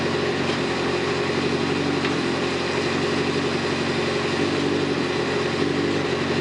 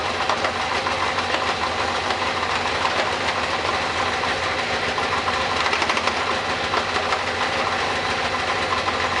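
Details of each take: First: Kawasaki ZZR 600 four-cylinder bike, replacement engine just rebuilt and swapped in, first run warming up with stainless 4-into-1 exhaust; even steady idle with smooth consistent note, no knocks or misses, coolant temperature rising; normal healthy warm-up. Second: Kawasaki ZZR 600 parts-bike engine running on center stand, rear brake held, shifted into second gear: harsh, gritty crunching grind stays constant; second gear is gone.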